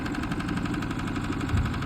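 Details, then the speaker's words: RVMP 4000 generator with overload and rough idle complaint; runs rough with fast steady knock over uneven idle, owner suspects internal failure, not confirmed. "Dude, it sounds like they've got internal failure or something."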